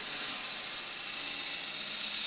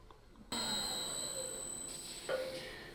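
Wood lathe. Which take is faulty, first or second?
second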